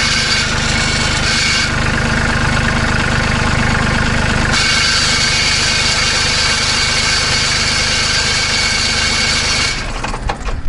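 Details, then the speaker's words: Kubota B2650 compact tractor at steady diesel idle, muffler clamp removed: loose metallic buzzing rattle about two or three a second; owner guesses metal-on-metal vibration at the muffler, to be fixed with the clamp. "so as you can see it's a pretty annoying rattle I'm not sure exactly what's causing it I mean my guess is it's metal-on-metal"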